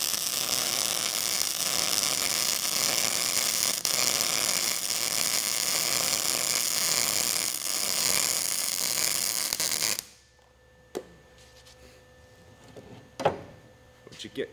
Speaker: now what I'll do is I'll turn off the shielding gas you'll be able to hear the crackling and popping of this well without the shielding gas showing that it's not pushing any contaminants away ready